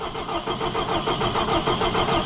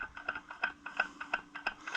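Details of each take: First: Allis Chalmers 175 diesel tractor, cold, just reassembled with fuel system opened: starter turns engine steadily about three turns a second with no firing; no-start from air in the fuel system, a recurring air problem for this tractor. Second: Allis-Chalmers 175 diesel tractor, replacement fuel pump being pumped to prime: crisp, even ticking about three times a second as fuel flows into the filter. The pump works well, better than the previous one.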